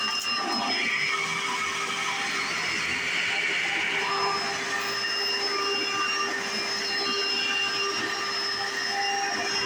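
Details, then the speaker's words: 1995 Hoover Encore Supreme U4261-930 upright vacuum, used about five years then stored, running: steady high-pitched motor whine at an even level, no rattles, surging or grinding; one part is loud at switch-on but not a concern. Normal running. "another one thing is this one this part right here makes a very loud noise when you turn it on but it's not nothing too big"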